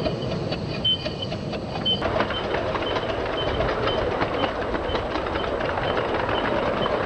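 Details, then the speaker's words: 7¼ inch gauge Black Five live-steam locomotive on track in the 1980s: sharp high squeak about once a second over rail clatter; cylinder squeak from unsuitable steam oil, cured by changing oil brand. "did you stop this squeak it was really horrible i just changed the brand of steam all i was using on the simplex"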